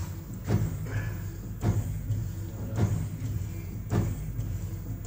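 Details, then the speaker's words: Mercedes-Benz S-Class W222 rear Bilstein DampTronic Sky air suspension shock absorber on a test bench before repair: sharp knocks about once a second over a low machine hum; rod guide broken and leaking oil. "You can hear a knocking noise The knocking is very pronounced"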